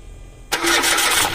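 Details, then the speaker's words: Mitsubishi Mirage, which had cranked long and hard to start before: catches on the first hit and settles straight into an even, smooth idle with no shaking; normal start and idle, fixed. "One Hit isang beses lang wala nanginig Okay so yun lang magiging sira niyan"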